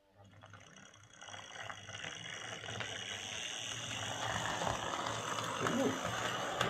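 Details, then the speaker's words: Old Tri-ang R52 Jinty 0-6-0 tank model locomotive after repair and gear oiling, running on layout: light steady whirr with soft rhythmic gear chatter building with speed; runs smoothly, quieter than expected. "quieter than i expected it to be how does it handle the points well well that's running much much better than i expected it to i'm very pleased with that"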